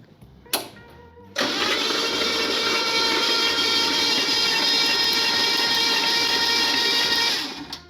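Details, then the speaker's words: 1977 Ford Fairmont XC GXL stored 12 years in a shipping container, plugs out: starter spins the engine in an even, fast whirr with no compression pulses for about seven seconds, turning over freely. "now that we have confirmed that this thing turns over going to get some spark plugs Chuck them back in put some leads on nice fresh leads"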